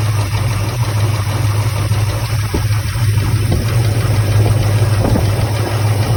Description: Chevrolet 454 with bad lifter tick and misfire causing vibration.